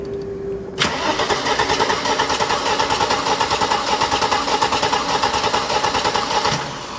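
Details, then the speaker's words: Mercedes R107 300 SL straight-six, crank-no-start, plugs soaked in fuel: steady starter cranking about a hundred beats a minute for six seconds with no firing; no spark found. "no spark just going to do another test to make sure"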